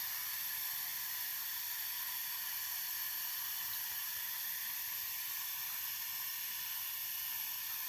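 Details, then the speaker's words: Radiator, about 40 cm, cold at the top, bled with a key: steady high-pitched hiss of trapped air still escaping from the bleed valve before black water comes out. "Evet hala havası çıkmakta"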